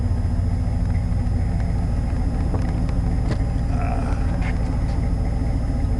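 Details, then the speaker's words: 1990 Chevy K5 Blazer, 350 5.7 V8 originally TBI with Crane cam, still cold, being revved; deep, even rumble with no knocking, tapping or missing; smooth and healthy. "like I said she's still cold but she's still running great man let me tell you"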